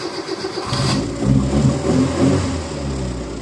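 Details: Car with a new battery and new starter: sluggish, laboured, uneven cranking that never speeds up, sounding like a flat battery. Owner blames voltage drop to the starter. Slow cranking.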